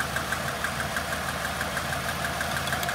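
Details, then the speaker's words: Engine idling with plug leads pulled one at a time: uneven, lumpy stumbling beat about three per second; front cylinder number one dead despite spark, brand-new spark plug suspected bad; misfire. "yep so it's this front one number one yeah you can hear it gets sadder when you remove the good ones"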